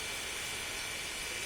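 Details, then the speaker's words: Panasonic household water pump after servicing, whose rough noise came from bearings rusted by seeping water: steady, even hiss with a faint high whine and no knocking or grinding. Now running quietly. "Sekarang kita tes ya stay bukannya suara tidak lagi berisiknya sekarang"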